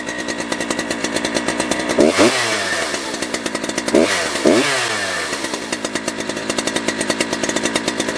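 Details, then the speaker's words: Big chainsaw (Holzfforma G660 Pro with timing advance, or Husqvarna 3120XP with new crank seals), revved out of the wood: a crisp two-stroke buzz climbs twice to a clean steady top-end scream, easily hitting its limit, then settles to a smooth idle. Healthy. "Let's start it up, and let me show you, before we even go put it in the wood here, that it is, in fact, actually running right. And it does hit that high limit pretty easily."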